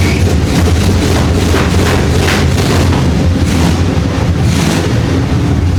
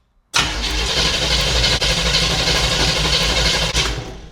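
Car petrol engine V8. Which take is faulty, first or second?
second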